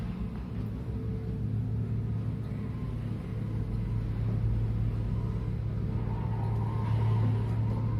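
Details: Elevator after its guide shoe liners were replaced to cure knocking and the guides were lightly oiled; a steady low hum as the car travels with no knocking, running smoothly, though a slight scuffing remains somewhere.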